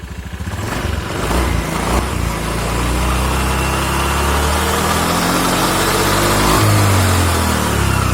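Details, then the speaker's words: Scooter just reassembled with reused CVT rollers and cover bolted back on, kick-started first try then revved: smooth, even rising hum with no rattle or slip; sounds very smooth, normal running. "Nyalakan Wi hanya kali starter kaki langsung nyala Coba kita gas bunyinya halus banget"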